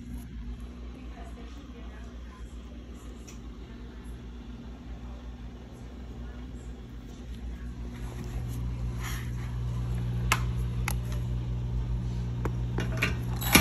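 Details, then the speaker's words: GE dishwasher GDP665SYN2FS stuck in drain, not washing: low steady drain pump hum that never cycles off and slowly gets louder; pump runs continuously because the pressure sensor that reads tub water level is stuck. "right guys you can hear the sound that is the drain pump and if you're having this issue with your dishwasher it's a GE that is your pressure sensor"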